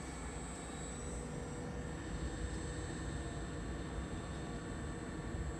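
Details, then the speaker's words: Trane XC95m TUHM modulating gas furnace with communicating gas valve, during setup. The inducer (draft motor) runs at 65% for the initial startup before firing, with an even, steady whooshing hum and no rattle or surging: normal inducer operation. "And our inducer speed should be on 65% right now for the initial startup. And you can tell by the sound of the draft motor."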